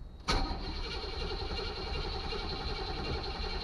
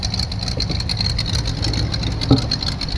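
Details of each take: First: 1984 Chevy Caprice 2-door bought non-running, first start after replacing the ignition cylinder and fitting a battery, check engine light on: quiet, then a sharp catch into a steady even low-rumble idle; cranks and fires cleanly. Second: 1984 Chevy Caprice two-door, bought not running, on its first start after sitting, check-engine light on, slight exhaust leak: busy, slightly uneven fast idle over a low rumble while cold, as the choke hangs on too long.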